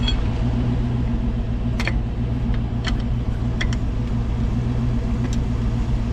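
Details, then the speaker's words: Rolling slowly: low road rumble with scattered sharp clicks and knocks that grow louder as the wheel moves slightly. Cause is a loose wheel. "It's getting louder though. What's causing the sound? The wheels going like this. Slightly though, enough to make noise."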